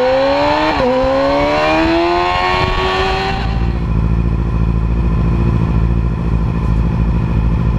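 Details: 2010 Yamaha R6 four-cylinder: revving then settling to an uneven, lumpy idle with an irregular stumble; misfire, running on three cylinders, later found to be bent valves in cylinder 4.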